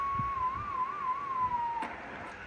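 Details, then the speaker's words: National HRO 500 receiver in calibrate mode: steady ~1 kHz calibrator whistle wobbles, slides lower, cuts out and returns as touching the lid or turning the knob shifts the VFO, fiberglass knob rubbing its case after cover holes widened and washers fitted. "There's the calibrator, and if I touch the lid, of course, it varies a bit. But if I turn the knob here, that also varies the frequency because the fiberglass knob is in contact with this case."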